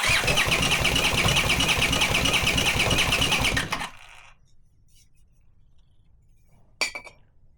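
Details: Leftover Honda CX500 engine on a test bench with no exhaust or cooling, cranked via a 12V wire: steady starter churning at about three beats a second, never firing; spark present but coil leads swapped, so firing at the wrong moment.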